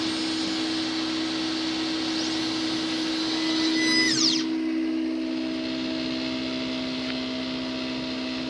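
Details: Versalaser engraver: after pressing start, steady motor hum with a rough sweeping grind before the lens carriage travels to 0,0 and begins etching; each pass repeats it and etching drifts, growing blurry after 2–3 passes; cause unknown.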